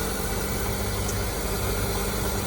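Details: Auction-bought Honda Civic, first start with no throttle and a busted radiator, settling into a steady, even idle with a smooth low hum and no knocks, misses or squeals; a normal idle.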